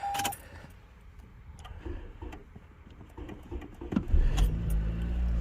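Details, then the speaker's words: 2019 Toyota Camry that would not start: key handling and a few quiet clicks, then a brief crank and the engine catches into a steady idle after the fix; normal start (dealer system update advised). "The car started. The car started. As you guys can see, you can hear that engine going."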